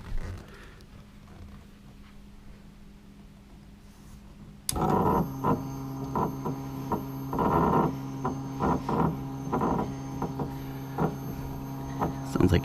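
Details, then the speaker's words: Deatschwerks electric fuel pump pressure test (25–75 psi, 58 psi base), 12 V drawing 8 A; steady droning whine with irregular gurgling surges, air working out of system; pump abnormally noisy, later found noisy by manufacturer and replaced under warranty. "That noise kind of bothers me. Not seeing any leaks."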